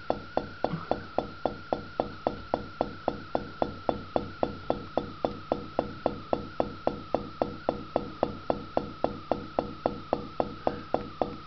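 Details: Year-and-a-half-old Whirlpool refrigerator: steady hum with fast even clunking, about four a second, lasting 10–30 seconds, from the compressor wobbling back and forth; owner suspects a broken spring.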